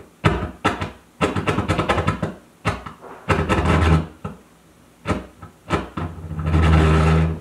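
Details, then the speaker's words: Console stereo warmed up and played louder: low AC hum and crackle with feedback that drops in and out when touched or jiggled; suspected bad connections between output transistors and amplifier boards. Intermittent hum and crackle. "we've got kind of a feedback loop going it's still there and now we've got a nice AC hum but watch this touch it goes away"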